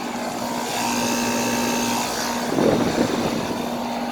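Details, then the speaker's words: 1999 Carrier 38CKC 4-ton air conditioner running: steady droning hum with a rough, harsh rush and a brief rattle; the compressor sounds strained and bad, owner suspects overheating, though it runs cold and sweaty and cools well. "all right here's this carrier running it sounds really bad [Music] that's cold and sweaty man that compressor sounds like it's overheating"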